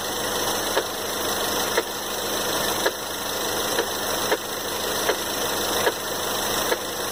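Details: 2013 Ford Fusion 2.0L EcoBoost at steady idle: sharp single knocks roughly once a second over the idle hum; source of the knock not yet pinned down.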